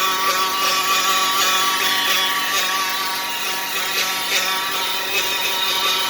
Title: ENGINE WHINING NOISE ENGINE LIGHT ON 2015 DODGE CARAVAN NO FORWARD